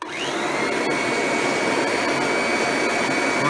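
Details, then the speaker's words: Kirby G6 2001 Limited Edition upright vacuum, restored with a replaced fan and brush roll: motor spins up to a steady high whine over a constant mid tone from the aging transmission, said to be normal for these Kirbys. "very normal for the for these Kirby's to make that noise from the transmission where they are when they start aging"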